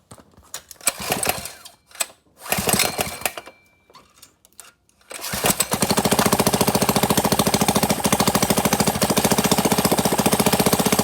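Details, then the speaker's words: Mini bike CT100u small engine after oil change, starting: rough cranking, then catches and pops in quick sharp bursts about three a second; backfiring heavily on startup, no oil from exhaust, runs. "Oh crap. Backfired. It's backfiring like crazy."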